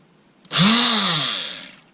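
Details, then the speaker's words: Einhell oscillating multitool, long-standing intermittent fault, needed tapping to restart: motor whines up sharply, runs about a second, then cuts out and winds down by itself; intermittent cut-out from a burnt brush connection. "oh no it stopped again so it's stopping and starting of its own free whe"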